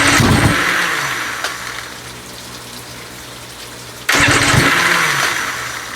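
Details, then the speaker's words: Johnson outboard, first run attempt in about a year, with the primer/choke lever moved to the side, expected to flood: two bursts of starter cranking that whir and fade without catching. Cranking no-start, suspected flooded. "It's flooding it, right? That's my guess. Keep going. Try it again. Yeah, now it's flooded."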